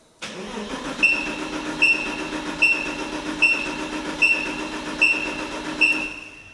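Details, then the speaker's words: Porsche 986 Boxster S, about 48,000 miles, barn-stored 3.5 years, gauge on the fuel rail: steady starter cranking with a sharp chirp about every 0.8 seconds, never catches; zero fuel pressure, unclear whether the chirp and the dead pump are related. "It did smell like we had fuel out the back, but maybe that was just old old fuel that was in the rail and the pump's not making anything any pressure."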